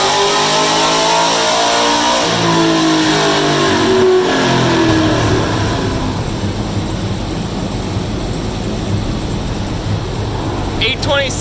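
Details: 2016 Cadillac CTS-V supercharged V8, retuned after a bad tune blew the transmission, dyno pull on E85 at about 14-15 psi boost; hard rising roar with climbing whine, pulling cleanly to the top. Normal full-power pull.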